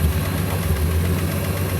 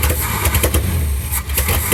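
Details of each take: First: Field-find car after replacing a carbon-tracked distributor cap: steady low engine drone with an even beat and no stumble or miss; normal running, though the carburetor still needs load adjustment. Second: Field-find car that did not run, carburetor engine: lumpy, stumbling idle with uneven beats and dips in loudness and no popping back through the carb; misfire.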